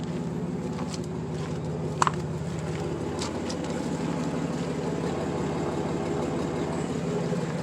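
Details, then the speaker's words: 1994 Dodge Dakota V6, warm, after catalytic converter and U-joint replacement, earlier buzzing gone: steady quiet idle with soft even exhaust thump thump, no rattle or miss. Normal idle. "This is how it sounds now when it starts up. It's got a little thump thump thump thump thump thump thump thump thump sound that I like. So this is how it sounds so far when it's idling."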